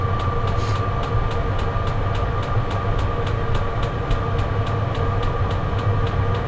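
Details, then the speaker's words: Portable diesel heater running on high inside a Clam X-500 insulated ice-fishing tent, about 45° outside: steady fan rush with thin whir and light fuel-pump tick about three times a second; quiet once ramped up, clean, no smoke, normal running. "let's get a little more quiet and once it fully ramps up I think it fights down even more nice and clean no B smk pretty quiet too"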